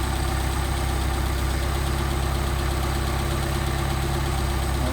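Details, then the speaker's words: Engine after rebuilt Solex carburetor, idle mixture being set by tachometer around 700-800 rpm: steady, even petrol idle with a low regular pulse, no misses or knocks, rpm picking up at the best mixture setting. "pretty good right there you see picking up RPM"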